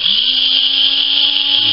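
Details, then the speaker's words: Cordless rechargeable Philips electric shaver, previously spinning slowly even when fully charged, after rewiring the motor's DC supply to bypass the circuit board: buzzing hum spins up quickly and holds an even pitch, now normal motor speed. "sounds a little more normal now like a regular shaver should be okay"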